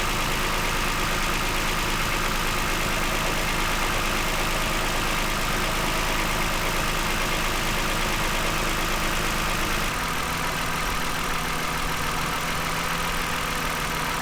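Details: 2009 Toyota Highlander, 276,480 miles, steady even idle with no stumble or skipped beats; cylinder 2 misfire had been logged, and swapping the coils between cylinders 2 and 4 cleared it.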